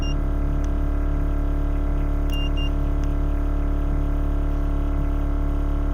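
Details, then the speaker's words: Air suspension compressor (Vera Air Elite management, D2 air struts) on a 2JZ-swapped Rocket Bunny 240SX runs long with a steady drone and a few beeps while filling the bags toward 70 each, seeming to struggle to reach it; cause unconfirmed. "Seems to be struggling to try to get up to 70."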